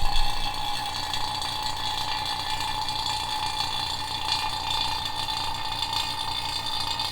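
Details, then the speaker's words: Vacuum pump pulling vacuum on the Ferrari F430 AC system after the compressor replacement, before the R134a charge; steady buzzing hum with a high whistle, running evenly; normal operation. "starting to pull some vacuum good so we're going to let this run for a good 5 minutes"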